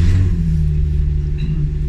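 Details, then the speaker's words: Japanese RWD six-cylinder coupe project car, just after start-up: deep, loud booming rumble settling to a throaty idle. Owner thinks the resonators were removed. A bit loud but acceptable, louder than his sedan. "it's a little bit loud but it's not too bad i i like the loudness of it it's a lot louder than my other car that's for sure"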